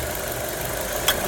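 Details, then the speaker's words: Nissan Sylphy 1.6 after replacing the alternator one-way clutch pulley, AC on, hill start under load: steady, even idle with no growl or rattle from the belt end; former grinding noise gone. "空调也是打开的，半坡起步。负荷大的时候，不会再有那个嘎嘎嘎嘎嘎的那响声了。"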